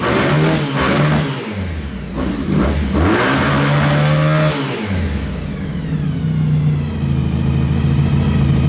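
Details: Honda VF1000 V4-powered buggy after work on the engine: crisp revving blips with no stumble or misfire; a ticking noise noted; owner thinks it runs on all 4 cylinders but isn't sure.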